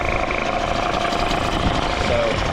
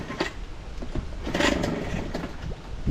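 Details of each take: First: Small two-stroke outboard, idle screw at about half turn, pumping a good water stream: steady, even buzz with no stumbles or surging; idles cleanly and settles smoothly. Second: Outboard motor after replacing a broken fuel fitting, first start: catches and revs unevenly, then drops to a slow, lumpy idle slightly low, idle screw needs turning up; low idle speed.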